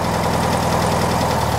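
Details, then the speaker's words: 1969 VW Beetle flat-four idling while Pertronix distributor timing is adjusted: short, steady idle with even low pulse, no misses or knocks; runs smooth after timing set. "There, that sounds better, huh?"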